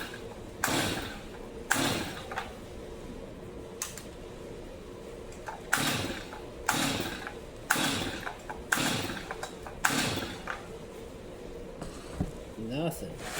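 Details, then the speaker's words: New Stihl MS 250 chainsaw that never started: repeated pull-cord rips about once a second with the engine turning but never firing; spark present, screws tight, choke works, has good gas; cranks without starting, needs deeper diagnosis. "Well, this one's going to require a little bit more of a a a deeper dive into it. So, I checked spark. It's got spark. Screws are tight. It does choke."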